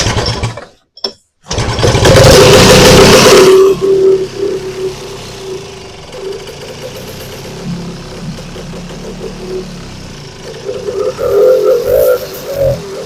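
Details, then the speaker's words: Vintage two-stroke snowmobile after a cleanup and reassembly, now pulling fuel: cranks, catches with a loud rising burst, then settles into a steady, even idle running unassisted; fixed, ready to go. "So we'll give her a little drink. And she should run on her own this time."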